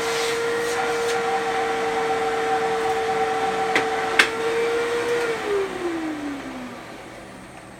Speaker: that is how a Fanjul Fury should sound if it has a good motor